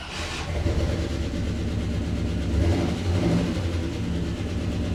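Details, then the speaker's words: 1956 Cadillac V8, not run in a year, brief start with fuel pump and glass bowl bypassed to the carburetor and fluid drained: rough, low running with busy ticking clatter over the rumble; lifter clatter. "A lot of lifter platter, I can hear that."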